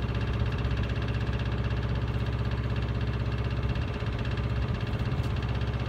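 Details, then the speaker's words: Miele Honeycomb Care W418 5 kg washer, drum overloaded with bricks, spin set to 1600 rpm: heavy low thumping about three knocks a second under steady spin roar; owner suspects broken spider. "it's fine up until about 900 rpm spin once you put it on for a 1,600 spin makes a lot of noise"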